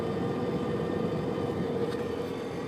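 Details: Subaru Liberty, recorded from left of centre console: steady droning metal-on-metal grind above 65 km/h, continuing while coasting in neutral until below 60 km/h; speed-related grinding noise.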